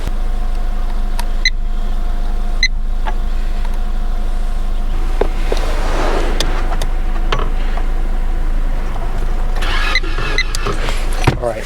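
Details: 2015 Toyota Corolla that would not start after sitting overnight: steady low cranking drone that never catches; fuel pump connector tested and the pump is not running, so no fuel; pump to be replaced.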